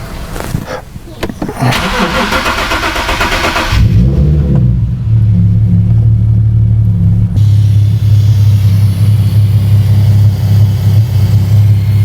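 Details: 2008 Nissan 370Z, no start with no stored codes; runs only with bank 1 camshaft position sensor unplugged, fuel trim +35% both banks: cranks, catches, settles to low, slightly uneven idle; scope shows cam timing not lining up.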